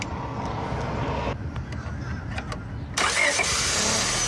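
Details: 2005 Honda Civic after starter replacement, started via a temporary spark-jump at the suspected starter relay circuit: uneven cranking for about three seconds, then the engine catches and settles into a steady run; normal crank and start.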